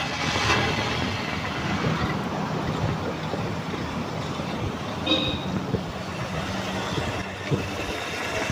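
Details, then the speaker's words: 1997 Toyota Kijang Kapsul LGX carburetted engine at idle: steady, smooth, even idle with no fan-belt squeal, misfire or odd knocks; oil old but not mixed with coolant; engine running normally. "kita dengerin dari suara langsamnya seperti ini, mesinnya masih bener-bener halus. Ini suara mesinnya suara mesin yang tidak ada masalah, mesin normal ya seperti ini."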